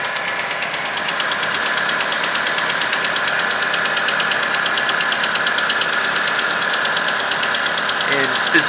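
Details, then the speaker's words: Nissan Versa petrol engine at cold idle with a sharp, steady tap about twice a second, apparently from the cylinder 3 area; it is more prominent as revs drop and lasts 10–15 minutes until warm. "specifically hearing it coming from cylinder number 3 or that area. And the noise will continue for the first 10-15 minutes of travel until the engine warms up."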